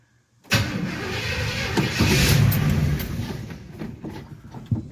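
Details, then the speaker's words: Car with a freshly rebuilt Quadrajet carburetor, first start attempt in months: starter spins steadily, about four turns a second, but it never catches; no fuel reaching the carburettor, fuel pump needs priming. "we're gonna have to get the fuel pump pumped up i managed to get a little gas in the carb i poured some in and it goes"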